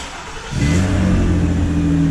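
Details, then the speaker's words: 2009 Honda Accord after starter replacement for a no-start, heard from inside the car: engine catches at half a second and holds an even, steady note with no stumbles or skips; running smooth, no misfire. "Smooth. Smooth. All right, there we have it. No more misfire. No more misfire, guys."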